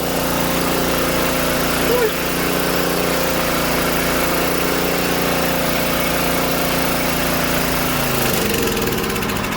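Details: Old Tecumseh-powered generator revived after years outdoors in rain and snow; choke off, running under load as a fan is plugged in, steady even drone with a brief dip near the end, light smoke burning off residue; normal running.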